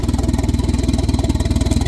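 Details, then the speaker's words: 1992 Volvo 460 turbo right after first start following engine removal and manifold gasket change, not fully reassembled: steady fast pulsing idle off its proper speed; owner expects it to settle once everything is back together. "it's not idling at the correct rate but once we get everything back together I imagine the shall settle down and be all right"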